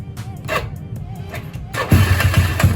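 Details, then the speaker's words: Yamaha Mio scooter after a broken valve spring was repaired and the engine reassembled: catches on the first press and settles into even, steady firing thumps; starts easily, sounds okay. "Starter gampang. Suaranya oke."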